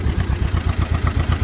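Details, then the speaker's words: John Deere M tractor, year unknown: cylinder two misfires about 90% of the time with an occasional pop, lumpy uneven chuffing near stalling, running on one cylinder; swapping plugs changed nothing, sticking valves suspected. "we have two issues we got one cylinder number two is misfiring 90% of the time every now and then you get a pop out of it"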